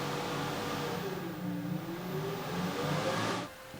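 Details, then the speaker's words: Harrison universal milling machine after rewiring of inverters, switches and controls: the spindle motor starts from the new control and its speed is varied, giving a smooth whir that shifts in pitch, then cuts off cleanly. Normal motor run. "I can start the spindle from here now and I can control the speed."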